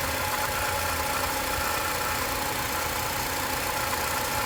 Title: 2007 TSX engine rattle